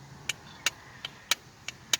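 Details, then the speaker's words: Exhaust dump cutout solenoid bench-tested on a new valve: six crisp, sharp clicks about every third of a second as the switch is hit, solenoid working normally; cartridge suspected instead. "and you hear that that is working i don't know if you can see it but that is working so we may have a bad cartridge"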